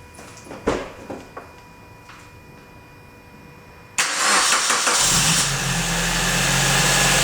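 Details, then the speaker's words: Suzuki ZC31S with supercharger, at idle: quiet clicks, engine catches at four seconds, then a harsh high-pitched squeal from the supercharger main pulley V-belt; engine otherwise sounds fine. "speaking noise-nya dari supercharger ya. Dia lagi call idle sekarang. Dari ini, dari main pulley-nya."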